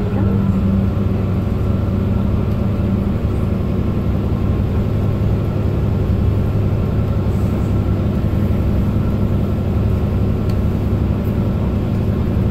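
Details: Mercedes-Benz Citaro O530 LE bus, OM457hLA 12-litre 299 HP diesel, ZF Ecolife 6 AP 1700B automatic: a steady diesel drone on the move with a thin, constant gearbox whine louder than the fleet's other buses.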